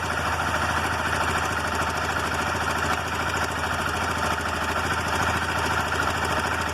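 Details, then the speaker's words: Motorcycle idling cold with a busy, rapid metallic clatter from the top end that resembles loose valves. It is cam chain noise from a slack chain. "Então aqui essa motocicleta, ela está fazendo barulho de corrente de comando. A motocicleta está funcionando perfeitamente, mas depois começa a fazer o barulho aqui de corrente de comando."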